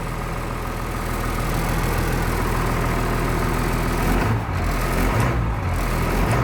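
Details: 1996 Blue Bird diesel bus in cold weather, 50 psi oil pressure, alternator charge coming up, half fuel; steady low diesel rumble with quick clean rise and fall as throttle is blipped, snappy response, normal healthy idle.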